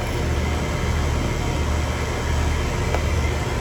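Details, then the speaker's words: HVAC condenser in a no-cool call, after replacing a bad capacitor (no microfarad reading on the compressor side): steady low hum with fan rush, no clicking, buzzing or hesitation; running normally, pressures moving. "So good news, everything's back to normal. Just had bad capacitor."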